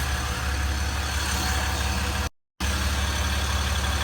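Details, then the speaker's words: 2015 Ram 1500 EcoDiesel just after fuel filter replacement with a genuine Mopar filter: starts right up into a steady, even diesel idle, smooth low rumble, no misses, knocks or rattles. Normal idle. "starts right up got brand new filter installed"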